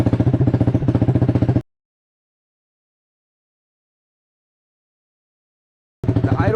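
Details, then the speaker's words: 2012 Honda CBR250R with straight pipe, after tank cleaning and new fuel pump, in neutral: fuel pump primes, then loud, quick, even popping idle with faint unevenness; runs fine, slightly odd. "okay it's making all the noises you want to hear the fuel pump priming and everything go let's go"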